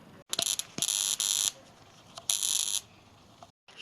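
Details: Sharp R-350E inverter microwave, bought new in 2023, harsh high-pitched buzzing in irregular bursts at power-on with flashes seen underneath; waveguide, magnetron and HV transformer checked, fault was an arcing power supply relay on the incoming 240 V circuit.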